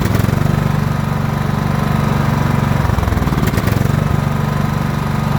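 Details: John Deere L110 lawn tractor's small engine, revived after sitting three years with its carburetor removed, gives a steady low thumping pulse about four times a second with one brief stumble midway; it is running fine.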